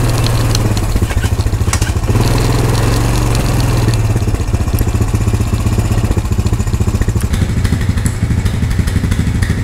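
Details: Honda ATV/three-wheeler found at a yard sale, first start on a jump box; single-cylinder steady, even thump, no misses or knocks, smooth healthy idle.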